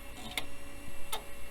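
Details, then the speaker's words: Compaq system with AMD K6-2 CPU, hard drive during boot: two sharp, isolated clicks about three quarters of a second apart over a quiet hum; heads appear to stick and unstick, hard drive head stiction clicking. "seems like the head's getting stuck and unsticking itself"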